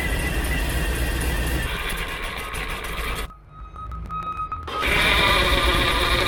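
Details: 1972 Chevy C10 shop truck V8 at first start after wiring work, run to set timing for the E-tuner setup wizard while the coolant warms toward 170°F. Steady even idle, brief dip midway; normal.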